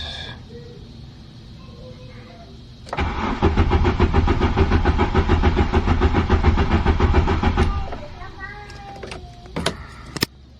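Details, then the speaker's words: 1995 VW Mk3 Cabrio after new fuel pump, filter and relay, using a borrowed battery: steady cranking about two turns per second for five seconds without firing; still seems not to get fuel, cause unconfirmed. "oh there it is got it it still seems as if it's not getting gas"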